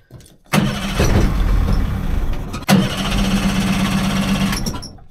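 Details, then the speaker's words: 30 hp outboard on a 14 ft alloy boat, barn-stored for years: catches twice and runs with an uneven, stumbling beat; one cylinder misfiring from an internally shorted spark plug, both getting fuel; fixed with a new plug. "all right must be a dodgy plug that'll explain what wasn't running too well"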